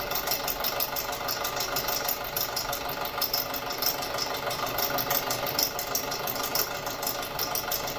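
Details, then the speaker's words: 2006 Audi A4 2.0T, long parked, codes P0300/P0303, idling with loose, irregular tapping and stumbles, sounding horrible; scan tool shows misfire on cylinder 3. "Look at that, Misfire in cylinder 3. I don't know if you guys can hear this."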